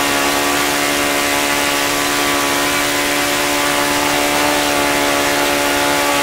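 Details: OS FS-95V four-stroke model engine after rebuild, 15% four-stroke fuel, 14x6 prop, hand-started warm: steady high-pitched buzz at one constant speed, no misses or surging; runs clean.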